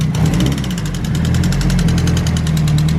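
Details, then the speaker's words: Built SR20DET with BC 264 cams, upgraded springs and retainers, GTX2860 turbo: a fast, sharp ticking over idle tracking revs, appearing after about 3 psi boost; first thought lifter tick, found damaged valve top and retainer. "we noticed a little ticking noise hopefully it's just lifter tick I'm not really too sure at the moment it just kind of randomly happened I had about three psi and boost and it kind of sounds like lifter tick"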